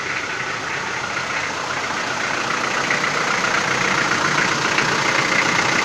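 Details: Toyota 4B diesel knocking after injection pump repair (plunger pair and nozzle replaced), cold start before glow plugs warm: sharp regular knock about 150 a minute over idle, expected to ease as it warms.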